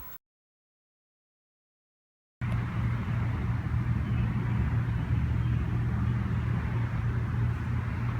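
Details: Briggs and Stratton 3HP MTD edger after repairing starter clutch (unsealed cap, dislodged ball bearings) that caused squealing and stalling on starting: clean start into steady, even single-cylinder drone, no squeal or stumbling; runs normally.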